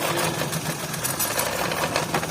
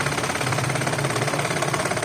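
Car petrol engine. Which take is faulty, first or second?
first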